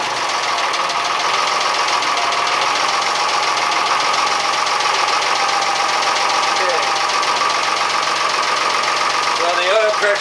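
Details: Diesel in a Fisher 30 boat test-run after cooling-system repairs (new water pump impeller and thermostat, repaired thermostat cover, unclogged exhaust elbow): even diesel clatter at a steady rhythm with no misses, knocks or hunting; engine running normally.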